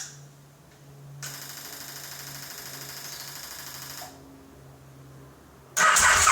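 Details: KTM 950 SM, carburetors cleaned, gravity-fed fuel, car battery hooked up, starting fluid sprayed into carb inlets, spark confirmed at plugs: starter churns evenly about three seconds but never catches or fires; crank no start, ignition or other cause suspected.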